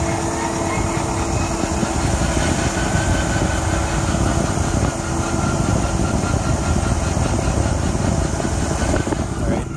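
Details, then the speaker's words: 2014 Ram Promaster EcoDiesel whining while driving in gear: a steady mid-pitched whine from the front left wheel well over wind and road noise, recorded with the phone out the window. The whine stops in neutral and returns in drive. Owner suspects the transmission; dealer visits have not fixed it. "when you put the truck when it's moving when you're in gear if you shift it to neutral the noise goes away shift it back in the drive the noise comes back"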